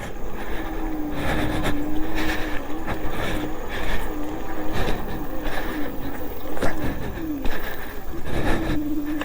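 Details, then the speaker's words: Engwe M20 e-bike, 48V 750W (1000W peak) rear hub motor, dual battery, climbing a steep hill into wind with pedalling: mid-pitched whine dipping and wavering as it strains; hub motor underpowered for steep climbs. "Wow, very underpowered motor. Hate to say it, Engwe, but it's pretty underpowered."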